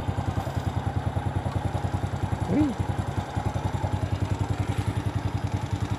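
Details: Motorcycle after battery service (electrolyte nearly empty, battery crusted, would not electric-start): starts on the starter and idles with even quick exhaust pulses, about six or seven a second, no misses or knocks.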